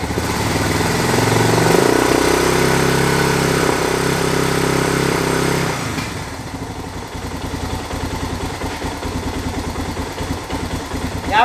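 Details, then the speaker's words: Suzuki DR650 garage find, sat over 4 years, first run after carb cleaning and starting fluid: fast idle then a slower, uneven lope that hunts and stumbles; rough idle, owner suspects old gas or airbox airflow, unconfirmed. "it's beyond the little rough I think they need all the gas ran through it"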